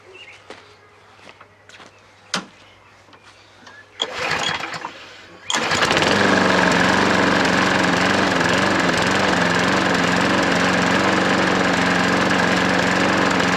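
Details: Hayter 43 lawnmower that had been locked up (hydrolocked/seized) and was revived: a few clicks, then it fires on the pull and settles into a steady, even run with no misses or knocks. Only a little dribble and slight exhaust smoke; normal running.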